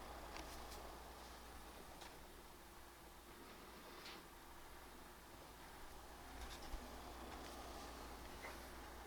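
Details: PS5 Pro cooling fan under GPU-intensive gaming load in Cyberpunk 2077 (not PS5 Pro patched), measured about 46–47 dB in game, slightly quieter than 47–48 dB at the start screen; faint steady airy hum with no rattle, tick or whine, normal fan noise.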